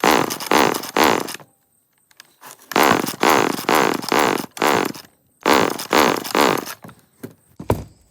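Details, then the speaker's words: Homelite chainsaw, Canadian-made, 1970s–80s, with compression, scrap-yard find, air filter mostly gone: groups of quick rasping pull-cord cranks with no firing, no-start. "That's a no."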